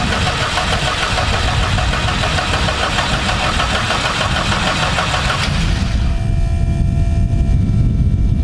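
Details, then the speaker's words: UL Power 350iS engine in a Zenith Cruzer, second-ever start: about six seconds of steady prop cranking that never fires, then a faint fuel-pump hum; it won't start because the ECU-run pump hadn't run long enough to push fuel through the blue tube. "So the first time I turn over the prop, it doesn't start because there's no fuel."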